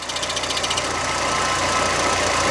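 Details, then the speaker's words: Car with a failing clutch, engine running: rattly metallic chatter that goes away when the clutch pedal is pressed and returns when it is released; a damaged clutch release bearing. "Entonces al estar dañado como son baleros puede que ya estén rotos y es por eso que se escuche ese ruido por ejemplo miren aquí yo voy a simular que voy a meter el embrague y van a ver que el ruido se va a ir"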